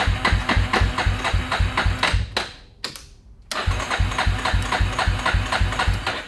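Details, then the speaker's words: 2000 Yamaha Warrior 350 ATV, new carburetor and ignition modules, lawnmower starter relay fitted, first electric start on little gas; single thumps steadily about four beats a second, drops briefly, then keeps running normally. "this is the first try neutral light hey thank you i don't know if it'll even crank up uh not much gas left in there but yeah go for it oh yeah there you go"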